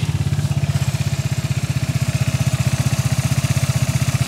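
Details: Vespa GTS 300 single-cylinder scooter, short test start right after reassembly with new Dr Pulley Tech Pulley variator rollers, fitted against low-rpm and idle clatter; even putt-putt about eleven firings a second, steady, no knocks or misses; healthy idle.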